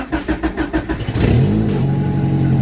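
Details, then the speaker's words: Honda Civic with swapped F23A engine, in neutral, after wiring the starter so it cranks from inside the car instead of jumping the solenoid; about six even cranking pulses, then catches at once into a steady idle. "nice nice cool no more jumping the uh solenoid so it can now be started from inside the car"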